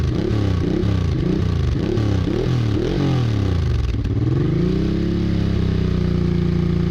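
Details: Honda Bros/Hawk GT 650 (late-80s V-twin), warmed up over 10+ minutes, camera held near the exhaust: crisp, even blips rising and falling with throttle, then smooth steady idle; healthy exhaust note. No coolant leak found.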